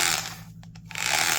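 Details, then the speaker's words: Harsh gritty grind, briefly cutting out mid-run, from the gear train of a Milwaukee 0224-1 3/8" Magnum drill, a model known for undersized gears that wore out quickly; worn gears. "Milwaukee gears aren't supposed to sound like that."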